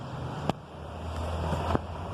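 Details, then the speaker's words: 2016 Hyundai Tucson, steering turned to full lock: two sharp single clicks about a second apart over a low hum. The steering rack boot is wrinkling and folding, making a toc-toc; the boot needs replacing. "a coisinha da caixa de direção ela tá ela tá dobrando aqui ó ela tá enrugando aqui ela faz toc-toc"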